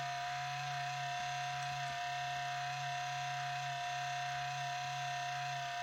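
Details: Four-year-old HP Pavilion 15 laptop (i7-5500U, GeForce 840M, 1TB HDD) at boot: a steady low buzz with a thin high whine, louder and longer since cleaning a month ago, later quieting. The whirring's source is unknown.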